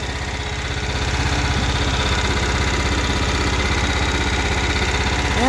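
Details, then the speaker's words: Cub Cadet 1330 lawn tractor, revived after a plastic piece was found blocking the tank outlet: a steady, even low thumping around four beats a second at constant speed; the small engine idles smoothly and sounds healthy. "that paint yeah paint sounds good otherwise and it's in 93 it was the one that goes starts right up"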